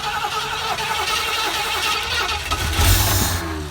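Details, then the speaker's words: 1973 Ford Econoline van, 302 V8, parked 7+ years, starting on its own carb after running an auxiliary fuel pump; uneven cranking, catches, stumbles and revs briefly but won't settle; probably slightly flooded, unconfirmed. "okay probably just a little flooded due to the fact that i was running that fuel pump"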